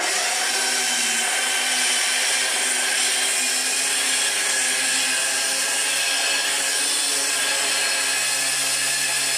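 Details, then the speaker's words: UK Dirt Devil vacuum cleaner from a car boot sale, just reassembled with belt refitted: loud rough whirring hiss dominated by high-pitched rattle, steady throughout; noisy brush roll, sounded better without it. "Dirt Devil this was the UK variance of what we have it sounds terrible but a lot of that's in the brush though it sounded better without it"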